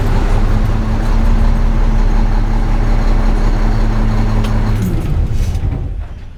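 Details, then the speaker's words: 2002 Mack truck with E-Tec diesel, driver complains of long crank times and low power: steady starter churn about 220 compressions a minute for nearly five seconds before catching, verified extended crank for an E-Tec; cause not yet confirmed, codes to be scanned. "It's definitely extended crank time for an E-Tec engine. So we definitely verified the driver's complaint."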